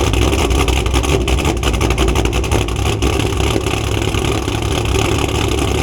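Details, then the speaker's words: Cammed V8 Camaro at idle, after coil packs were moved back to their original spots and O2 sensors cleaned: deep choppy cam lope with no missed beats or knocking, so the misfire and knock did not show this time. "When I bring the camera out, everything seems like it's fine. It's not misfiring, it's not knocking."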